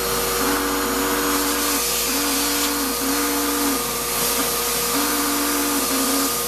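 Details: Shop-Vac vacuuming coarse grit from a rock tumbler: steady high roar with wavering lower tone pulsing on and off; owner says dust previously pulled through the motor before adding a dust separator pretty much destroyed it, with little suction. Abnormal motor whine.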